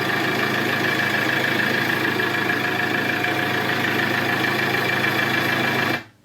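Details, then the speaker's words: Iveco Daily diesel van idling steadily and evenly with no misses, then stopping cleanly, after the faulty ignition/starter switch that had stopped it starting was replaced; engine now starts and runs normally. "là vous le voyez, le moteur du fourgon est démarré, nous avons démarré le moteur,"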